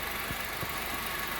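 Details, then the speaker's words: 2014/15 Honda Civic LXR 2.0 16-valve with engine noise, worse when cold or in Drive held on the brake: faint dull knock about three times a second, traced to the accessory belt tensioner. "Esse é o esticador da correia de acessórios"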